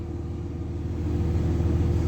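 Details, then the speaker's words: 2003 Dodge Ram 3500 dually diesel idling, temperature gauge just starting to rise, oil pressure good: steady, even low rumble, no knocks or misses; normal idle. "Wow, it's running great. Oh, I can see the temperature gauge is just starting to come up now. Oil pressure looks good. Awesome."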